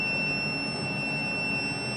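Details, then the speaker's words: New SkyfireCNC SVM1 VMC milling machine powered on for the first time at 237V: continuous high-pitched alarm buzzer over faint room hum; low air and low machine oil suspected, plus e-stop alarms, unconfirmed. "So, it sounds like we got some alarms going there. the center. I think um it's low air and low um machine oil as well."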